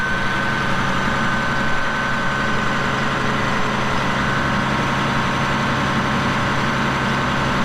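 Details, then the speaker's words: 1989 Caterpillar D6H dozer, 10,489 hours: deep steady diesel idle, smooth and even with no knocks, misses or rattles; starts right away, no excessive smoking, normal healthy idle. "As soon as it turns over, it's running. No excessive smoking. The engine sounds great."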